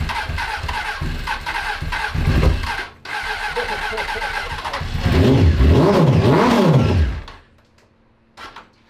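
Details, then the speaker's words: 2003 Honda 919 (919cc liquid-cooled fuel-injected) parked for years, started on very stale fuel with brake cleaner help: fires, sputters and spits unevenly, revs surging and dropping before cutting out; fuel to be drained and replaced. "just nasty fuel in there was spitting out all kinds of nasty stuff and it was kind of spitting and sputtering as well"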